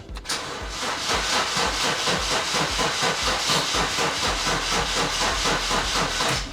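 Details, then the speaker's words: Ford with fuel pump prime heard but sounding clogged, weak battery: steady fast cranking, about five compression pulses a second over a constant hiss, never catching; owner suspects a blockage in the tank. "No, it's definitely getting a fuel pump prime, but it's not starting."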